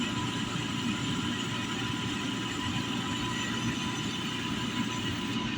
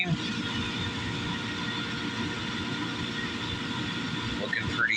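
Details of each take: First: Valiant oil burner on a home furnace during service, bleeder open: steady roar with faint hiss and short sputter as air purges from the fuel line; burner fires despite remaining air. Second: Valiant oil burner on a home furnace after service and bleeding air from the fuel line, reading about 140: steady even roar, constant hum, no puffing or pulsing; burner firing cleanly, normal operation.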